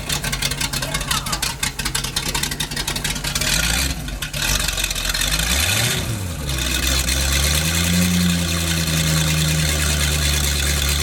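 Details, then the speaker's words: Engine, a 260-horsepower boat motor running on a temporary fuel line through a water-fuel separator, catches after a short crank and settles into a steady, even run with smooth rev changes; running properly. "I only wish most of my cars started that easily"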